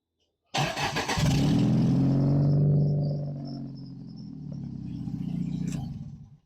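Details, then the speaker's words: Sundance after timing belt, water pump and tune-up, restarted hot: catches cleanly, revs up and settles back evenly with no knocks or misses while junk burns off. Normal restart and rev. "Just like it. There's all kinds of junk burning off everything."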